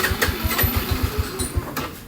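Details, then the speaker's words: Honda Revo fuel-injected motorcycle stalling every five minutes, no fuel pump hum at priming: starter churns about eight even pulses a second, hard to start; fuel pressure stays at zero then delays to 40, fuel pump failing. "Oke, coba kita tes untuk start dulu ya. Kita starter buat nyalainnya aja susah-susah gampang ya."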